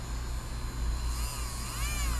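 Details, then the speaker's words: Marui Samurai 1/10 4WD buggy brushed can motor after oiling both ends, which made it quieter: a smooth, steady high whine over an even hum, no jerks. It jolted at first start; it now sounds really healthy. "That sounds really healthy. It's real steady now."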